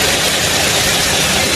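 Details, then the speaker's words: Toyota Camry 3.5 L V6 2GR, about 100,000 km, running in after a full engine rebuild with new electrical connectors: steady, even, smooth idle with no knocks or ticks. "Hiện đang trong giai đoạn chạy thử. Đây là động cơ. Hoạt động rất trơn"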